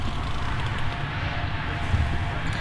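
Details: VW Beetle converted to electric with Nissan Leaf drivetrain (80 kW), ignition switched on: a quiet background, then one sharp clunk near the end as the high-voltage contactors pull in normally.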